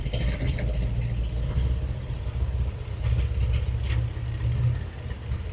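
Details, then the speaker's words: 1915 Scripps-Booth Vitesse race car, overhead-valve V8, rebuilt engine with about 100 miles, after setting idle mixture on its Zenith updraft two-barrel carburetor with a CO meter: low, steady, even rumble at a lower, smoother idle, no misses. Normal idle. "It is a lot So lower. that's a really nice idle for this old of a race car."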